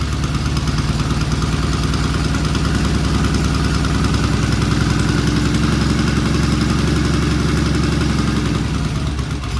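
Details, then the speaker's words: 1974 Norton motorcycle after the air-fuel screws were adjusted. Steady, even low thump at about 800 rpm with no misses, knocks or rattles. A clean, healthy normal idle. "That sounds great. I mean, what is this, about 800 RPM? Yeah. That's an 800 RPM idle. Thing is incredible."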